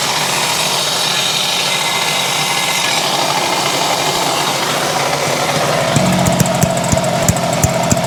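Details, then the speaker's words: 1970 Yamaha HS1 90cc two-stroke twin, hard-to-trace engine noise. Loud, rough running with sharp knocks toward the end; owner suspects bottom-end knock from crank bearings, not confirmed. "yeah that's pretty bad I think that's what we're up against crank [Applause] bearings"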